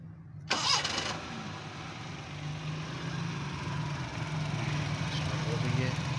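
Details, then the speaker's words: Suzuki Mehran with a starting issue from missing current at a loose distributor cap connection, now restored: a short crank, then it catches straight away and settles into a steady, even idle; normal start. "अभी current आना शुरू हो गया है अ इसको start करके check करते हैं"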